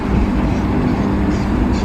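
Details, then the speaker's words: Fixed-speed air conditioner outdoor unit after replacing failed compressor capacitor (2 µF left, new 30 µF): compressor now starts, steady deep hum alongside fan; before, only fan ran. "好了压缩机声音启了刚才就没有压缩机声音光风扇在那转你看这个声音轰轰轰"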